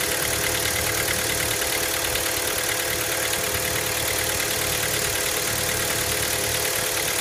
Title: Стук на холодную Hyundai Elantra MD 1.6